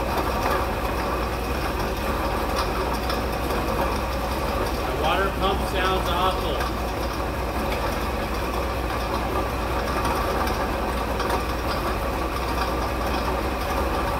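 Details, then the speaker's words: 1958 Edsel Citation 2-door hardtop parked 20+ years, first start on jerry-can fuel supply, exhaust smoking from burning oil: rough idle with dry gritty rumble under engine note; water pump bearings shot. "the bearings are shot in it I can take the water pump dude"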